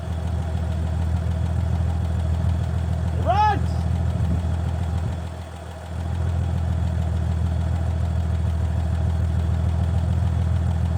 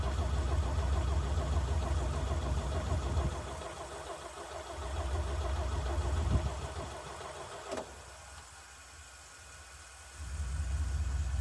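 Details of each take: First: 1965 Chevy C50 grain truck, abandoned for years, idling on its own after its first start: deep, steady low rumble with a slightly loose beat, no stalling; fuel pump line suspected and slight leak suspected; normal idle. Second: 1965 Chevy C50 grain truck abandoned for years; bursts of steady cranking at about 2.5 turns per second with no firing. The fuel filter is empty, and the owner suspects a fuel line leak is starving the engine.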